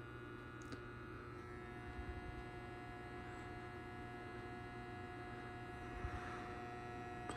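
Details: Schumacher MC1281 battery charger, brand new, connected to a car battery; quiet, steady low transformer hum with no pulsing or rising whine, considered normal, unlike the wavering whine owner worries about when it is unplugged from the vehicle.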